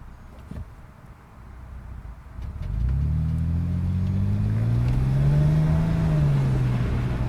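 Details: Test run after fixing a vacuum leak/clog: engine catches after a couple of seconds, then rises and eases back in one smooth, even sweep with no stumble or hiss; running normally.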